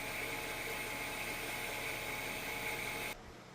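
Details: Freeze dryer vacuum pump after a functional test, no air leak found, after fixing the valve behind error code 8: steady even hiss and mid-high hum, no surging or knocking, then a clean shutoff; running normally.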